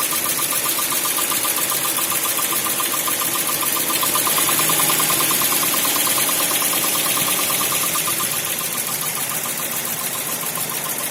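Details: Toyota 4A-GE 16v (black/red top) petrol idling hot: steady sharp ticking a little over two a second over a thin hissy idle; appears when hot or after minutes at medium/high speed, with jerking and limited revs above 3000–4000 rpm, no ECU errors.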